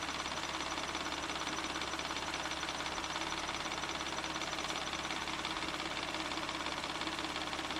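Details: 1994 Ford Probe GT, a steady high-pitched roar held at about 3000 rpm with no knocks or misses; oil pressure reads about 54 psi, the low end of spec.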